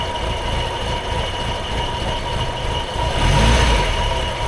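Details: Triumph Herald Estate after carburettor swap, dashpot oiled, just started: lumpy uneven low idle with loose chuffing, wavering beat; owner suspects still taking in too much fuel; rough idle.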